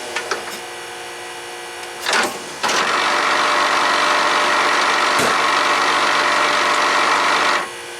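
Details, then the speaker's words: 1999 Pontiac Firebird pop-up headlight motor, recorded on the car. A brief buzz is followed by about five seconds of harsh grinding as the motor runs; the gear inside the motor is stripped. "so it's obvious the gear inside there is damaged so we're going to take the motor off the car repair it put it back together"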